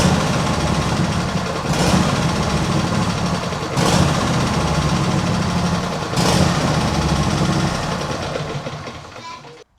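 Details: Cold start with automatic choke and carburettor (never cleaned), left at idle: the small engine hunts up and down, swelling roughly every two seconds. Owner suspects water got into the fuel system when washing it; plans a carb clean.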